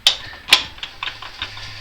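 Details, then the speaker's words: Newly installed differential locker in the 4x4 "Moose", with the wheel turned by hand: sharp, irregular metallic clicks, two loud then several lighter, as the locker slips occasionally. It slips in reverse but not forward; cause unknown. "I don't know, there, you can get it to slip. There, I can hear it slip occasionally."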